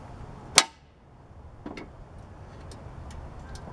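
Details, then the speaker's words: Lawn mower starting-circuit troubleshooting: one sharp safety-switch click, then faint ticks with no starter relay clunk, unlike a working switch; owner suspects this switch, not confirmed. "I can hear it clicking but I'm not hearing the relay see what I'm saying it's making the same noise"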